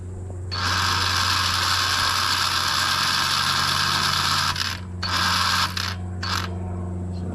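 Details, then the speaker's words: Yamaha Raptor 250 ATV: fast ratcheting clicks, about three a second, in bursts when start is pressed, no cranking — starter just clicks; battery suspected low (about 13.5 V on charger), not confirmed. "Okay, so now I hear it clicking, and when I hit the start, that's what it does."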